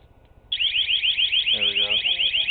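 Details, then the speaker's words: New exterior 12V siren/strobe home alarm, after a long arming delay: loud, high warbling wail starts abruptly, cycling several times a second without dropping out; siren working normally. "Okay, good, it works. Good. Alright. Took a while, but it worked."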